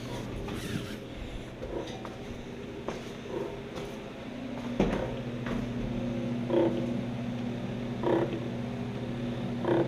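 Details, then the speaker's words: 1966 Ford Galaxie 500 convertible during restoration, wiper motor test: steady motor hum with a squeaky creak every couple of seconds as the wipers sweep; owner suspects the arm pivots are rubbing and may lubricate them. "sounds like something's rubbing on maybe I'll lubricate those the pivots on the arms but it works"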